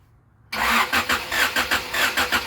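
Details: Honda Accord with Euro-R engine swap, sat 17 years, cranked with wires disconnected so it won't start after timing belt install: even four to five compression pulses a second, no catches or grinding; healthy cranking.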